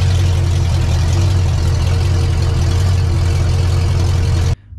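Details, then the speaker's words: Big block Ford 460 in a 1956 F100 after first fire-up and cam break-in: deep, steady burble holding an even idle for several seconds before shutoff, no ticks or knocks. Normal idle. "right that's it on the big block 460 she's fired up we broke the cam in it was giving us a little bit of a struggle but we got her handled"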